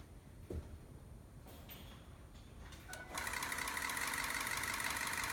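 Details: 2003 Ford F-250 6.0L Powerstroke diesel startup: brief crank, then it catches into a loud clattering, rough, uneven idle pulsing about three beats a second; suspected misfire or rough running at idle.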